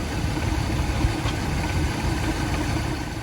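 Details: 1977 Chevrolet El Camino, 350 cubic-inch V8, during alternator test by disconnecting negative battery cable: low, steady idle with even beat, no misses, knocks or dips; keeps running, alternator good.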